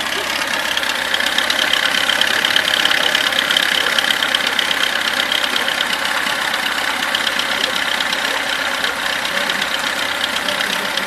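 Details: VAZ 21011 engine idling with a loose, irregular tapping over the running note, about three knocks a second; internal engine knock, cause unclear.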